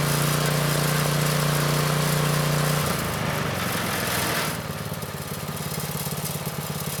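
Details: Vintage Manco Streaker mini bike, repowered with a Predator 212 6.5 hp engine, unrun for years; drive disconnected, tried with choke on while setting idle. Firm, even single-cylinder drone holds steady, then settles lower with a clean rhythm and no stumbling; runs well.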